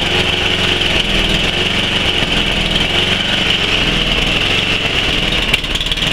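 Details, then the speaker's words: 11 hp Tecumseh Snow King on Murray Select snowblower, cold start near -10 °C, just taken off choke, no load: idle hunts up and down instead of settling; idle surging. "that's what I'm referring to that last bit that's what I'm referring to as soon as I take this thing off choke it does that"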